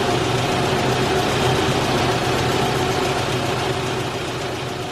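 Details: 1989 Isuzu Trooper, high mileage, petrol, steady even idle with no surging or hunting after replacing the seized idle air control valve, which had stopped the engine idling when cold.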